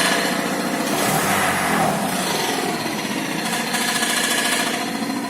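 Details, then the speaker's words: Skoda after a used gearbox and new clutch were fitted: uneven clattering knock at idle, about three to four per second, quieter with the clutch pedal pressed; suspected from the clutch/flywheel and pressure plate area, cause not confirmed. "Выжимаем сцепление, вроде тише. Вот, это сцеплением играет. Вот. Звук идет у нас от сцепления, ну, в принципе, от этого, от маховика, вот там, где у нас корзина и тому подобное."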